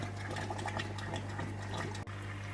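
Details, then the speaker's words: Matten sponge filter on a fish-room central air pump system with far too much airflow: steady pump hum under busy, uneven bubbling and gurgling, pulsing oddly until the air is turned down; sponge filter pulsing from excessive airflow. "And sometimes it's worth adjusting everything before you put it in. This has got way too much flow and it's causing like a weird pulsing effect."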